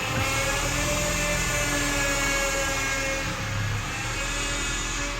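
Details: 2003-2007 Honda Accord on a cold start, engine running with AC off: steady mid-pitched whine when the steering wheel is turned, silent with the wheel straight; power steering pump starved of fluid from leaking line O-rings, fixed with new O-rings.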